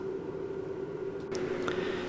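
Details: Newly fitted Webasto diesel heater in a campervan, running warm after start-up: a quiet, steady mid-pitched drone from the outlet with no sputter or popping. It is heating faster than the van's existing system; the exhaust exits at the back right.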